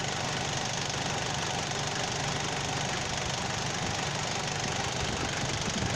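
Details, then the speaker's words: Car idling with the AC idle-up vacuum pot engaged, pulling the throttle to hold raised revs so idle won't drop with AC on: steady, even fast idle with no hunting or dips; idle-up working as intended. "ทำงานแล้วครับมันมาแตะที่ตัวคาเร่งแล้วครับก็คือมันจะดึงคาเร่งไว้ครับให้รอบมันสูงไว้ครับพอเวลาเราเปิดแอร์รอบมันก็จะไม่ตกนะครับมันก็จะดึงไว้อย่างี้ตลอดครับ"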